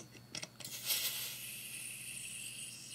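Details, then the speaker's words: Gas airsoft magazine, multi-part type: a few handling clicks, then a steady high hiss of gas leaking around the base seal o-rings, not from the fill valve. Gas leak at the magazine base seal. "if you can hear that hissing sound yeah hope you guys can hear that but it's leaking not from the fill valve right here"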